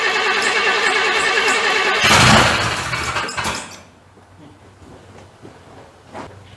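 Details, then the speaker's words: 1985 C30 square body converted from diesel to gas engine, first start-up: runs unevenly, blips with rough roar, then sags and dies; distributor found installed one tooth off, timing retarded, carburetor also needs adjustment. "I do not know what is wrong. Well, apparently I do have a distributor off a tooth."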